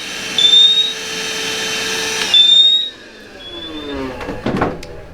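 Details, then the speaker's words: Cavius alarm: high shrill chirps about two seconds apart over a vacuum's whine, then the chirping stops once smoke is vacuumed out of its sensor. Humidity, dust or a bug can also trigger it. "So all I did was suck the smoke out of there and it stopped. Now it's the same. It could be humidity, it could be dust, it could be a bug, anything like that."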